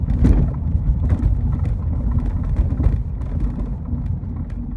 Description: Rattling noise from rear compartment of my bmw e36. Sounds like a wrench was bouncing around. The noise came from bad rear shock mount (rms)